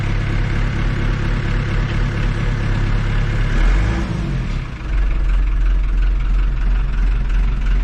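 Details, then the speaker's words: Farm tractor diesel that was slow to crank, after adding a new ground cable from the battery to the starter motor: deep, steady rumble that dips briefly, then runs smooth and even with no misses or knocks; normal running. "there we have it lazy ground from the battery to the star motor"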